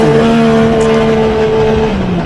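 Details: Newly rebuilt engine, once smoky from excess build oil, revved toward the limiter climbing a hill under load: a strong, smooth, even climbing note with no misfire or rattle; normal healthy acceleration.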